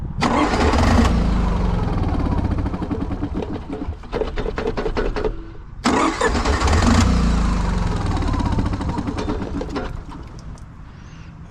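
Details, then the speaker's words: Honda EV6010 generator in a 1976 GMC motorhome, fed by its own fuel pump: catches, runs roughly a few seconds, fades and dies, restarts and stalls again, blowing gas and watery muck from the exhaust; owner suspects a leaking needle and seat or stuck float. "I start it, it starts, dies, starts, dies, starts, dies."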